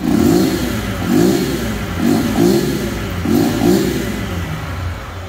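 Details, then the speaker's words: Small 4 mm motorcycle with original carburetor and exhaust, and a newly developed silent performance cam: crisp throttle blips with no ticking or clatter from the top end. The cam noise is gone. "só mano acabou o barulho filho"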